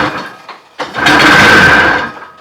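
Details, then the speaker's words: Everest snowmobile engine on its first start attempt after reassembly. A couple of weak coughs, then a buzzy, high-pitched two-stroke run for about a second before fading. It ran briefly on ether, something was leaking, and it seems not to be getting fuel. "that sounds a lot more promising just to help it along"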